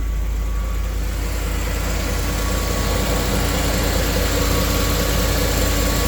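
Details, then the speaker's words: Restored 2000 Land Rover, 52,000 miles, stone-cold engine at 75°F ambient: steady, even low idle after cold start, smooth unbroken note, no knocks or ticks; healthy. "So, we're going to start it up and um let you hear how it does on the cold start and then we are going to take it for a highway drive."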